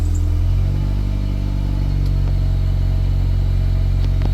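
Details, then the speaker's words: Normal idle of a 1999 Honda Accord bought for $500 after crashing into a stop sign: a steady, even low rumble right after it fires, with no knocks or misses. It fires right up with no check-engine lights so far. "let's give her a start fires right up no problems"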